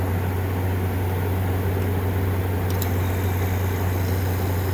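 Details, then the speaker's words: 2014 5000 BTU Frigidaire window AC, GMCC compressor, run on low cool after sitting unused five years: low steady smooth hum, no rattles; compressor quiet and healthy, evaporator very cold. A leaf caught near the fan was causing a separate hitting noise. "That compressor is quiet. And that is really cold."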